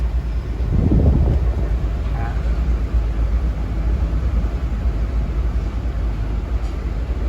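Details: Car with 160,000 km after throttle body cleaning: steady low engine hum, no hunting or surging, revs holding even around 700; smooth stable idle.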